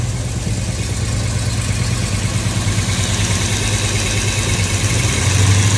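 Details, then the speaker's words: Used Chevy 350 V8 for a 1972 Chevy 4x4 truck, first run, valve covers off: loud, uneven V8 rumble with lumpy pulses, backfiring, slight rise near the end; not timed at all, poor carburetor, needs tuning and probably a proper fuel supply. "It's alive! It's alive! And it's backfiring. Yeah, it's not timed at all."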